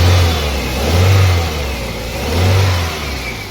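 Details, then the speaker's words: Toyota Corolla petrol engine revved twice: rough, uneven low pulse with heavy vibration, a misfire traced by checking cylinders 1–4 to a failed cylinder 2 ignition coil; fixed with an original coil. "ये गाड़ी ना miss fire हो रही है ये देखिए य दे कंपन देखिए गाड़ी"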